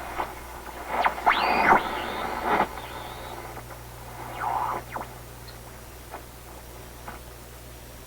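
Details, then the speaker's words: Recently restored 1934 Atwater Kent 944 vacuum tube radio on checkout, dial near 1500 kc: a whistling squeal sweeps in pitch as stations tune in and out, over hiss and low hum. Heterodyne squeal, possibly needing an alignment tweak; cause not confirmed. "See if we can't get rid of that terrible heterodyne, which I'd have to think the radio designers would not want a radio that squeals like that as you tune stations in and out."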